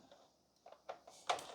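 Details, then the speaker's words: Keurig K-Slim (K190) coffee maker opened up: light plastic clicks of the door micro switch as the handle closes; the interlock stops the machine unless the handle is fully closed; normal. "you can hear that micro switch. It won't let the machine operate unless this handle's all the way closed."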